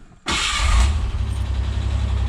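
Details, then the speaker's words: Ford Bronco II 2.9 V6 near-cold start at about 70°F after repairs for idle issues: short crank catches at once into a firm, steady low idle with no stumble; used to rise to about 1,800–2,000 rpm warming up, now smooth, normal. "there it goes I mean it's pretty smooth used to it' go up to like 8 to two grand warming up like this and now it's just kind of doing that"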